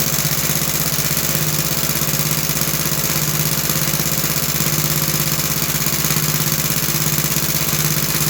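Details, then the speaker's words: About 66-year-old 1960s English Suffolk single-cylinder engine after carb clean and new plug wire: even steady beat about three firings a second, no misses or knocks; running healthy. "So my plan work to clean the car and the plug wire works very good and um overall it sound good."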